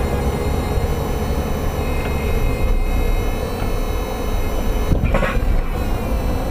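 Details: Toyota MR2 Spyder, right-hand side, driving: a few dull, isolated clunks through steady road rumble, suggesting a loose front suspension or chassis part. Power steering pump noise also present; hood touches nothing.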